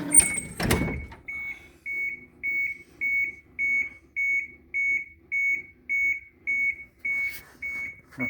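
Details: Bus unstarted for 2.5–3 weeks, switches off, waiting for the dash light to go out before cranking: evenly spaced high beeps, about one and a half per second, for several seconds. It is the wait-to-start buzzer.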